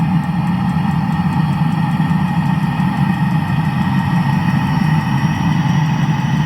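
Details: Land Rover after engine block repair: a smooth, constant idle with an even low drone and no tapping or misses. The engine is running healthy and settled.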